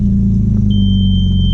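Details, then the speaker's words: Audi B5 S4 first start after fitting a new 3 bar MAP sensor and flashing a new tune, battery a little low, 480 millibar at idle. Engine fires into a steady deep rumble with no stumble or misfire; normal start. "There we go. Battery's a little low. Alright, so we're right at 480 millibar, which is perfect. The rev's good."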